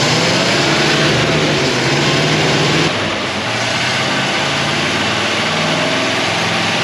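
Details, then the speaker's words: 1957 Chevy Bel Air, likely a 283 small-block V8, garage kept since '76, fuel pump working. It runs fast with a steady roar, dipping briefly then recovering, rich and unsettled after flooding. They suspect something stuck in the carburetor and are letting it run the carburetor dry. "Something's stuck in the carburetor. So what we're gonna do is not give it any more gas here. Let it run out of gas as far as the carburetor is concerned."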